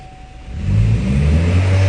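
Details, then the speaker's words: 2017 Chevy Malibu with new turbo, underboost, misfire and no power, barely runs: heavy choked drone that never frees up under throttle; clogged catalytic converter, cat found broken into pieces through the O2 sensor port. "so this Malibu came in with under boost barely runs no power got a new turbo on it what a surprise"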